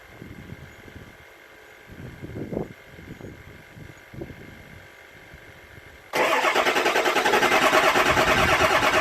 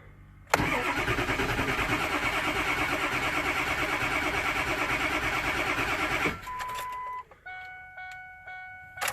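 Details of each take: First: 7.3 Powerstroke diesel at about 60°F after injector shimming work, with the number 8 injector accidentally left unplugged under the valve cover: about six seconds of weak, uneven cranking before it catches and roars up; hard start, rough running, check-engine code. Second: Ford 7.3 Powerstroke diesel, cold, after shimming injector electronics to factory clearances; even cranking about three pulses a second for several seconds, then it catches and runs: a normal cold start, no check engine light.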